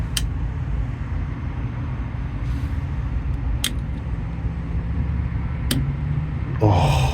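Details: '94 OBS truck with LS swap, new relay panel energized by jumping key-run wire to battery: sharp single relay clicks over a steady rumble, then a brief fuel pump buzz; fuel pump relay and pump prime normally.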